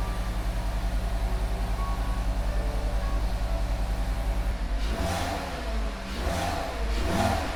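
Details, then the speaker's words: VW MK6 Jetta 2.5 after new NGK spark plugs and Bosch red ignition coils: steady even idle then smooth rev rises pulling cleanly, no misfire or stumble; engine healthy. "Okay, now that we finished all the work, let's just go ahead and start it. Make sure everything idles correctly."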